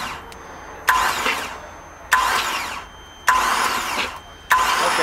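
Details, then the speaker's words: Hydrolocked Mercruiser 4.3 V6 in a Marada boat, new starter fitted, spark plugs removed: four short cranking bursts about a second apart, spinning fast and free as water sprays out of the cylinders. "I'm gonna stand back because I'm fully expecting the waters gonna come rushing out of something one of these cylinders couldn't just bump a little bit ooh nice rescue water out of all three of them"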